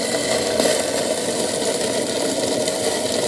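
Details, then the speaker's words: Waste oil boiler burner fed water-contaminated oil: loud roaring with uneven rattle and sputter as water thins the fuel in the bowl, turning smoky while it tries to burn off the water. Burner running rough. "okay this is what happens when you get pure water down obviously oil floats on water so it tins out the fuel that's already in the bowl and um it's going mental getting Smoky as well"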